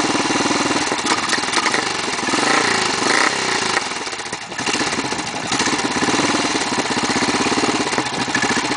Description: Start up after 7 months. Hard starting?? No way.